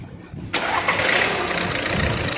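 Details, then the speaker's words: VW Vento after EGR cleaning, injector service and head cover gasket replacement (earlier knocking, jerking, smoke, low oil): engine cranks, catches at once and settles into a steady, even idle with no jerking or misfire. "गाड़ी start हो चुका है। जैसे कि देख सकते हैं। ये देखिए गाड़ी और काफी झटका नहीं रहता।"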